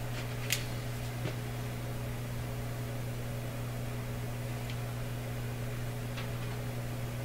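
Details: Canadian Admiral J104X/J105X tube console amplifier after an extra filter capacitor was fitted: constant low mains hum under faint tube ticking, steady in level.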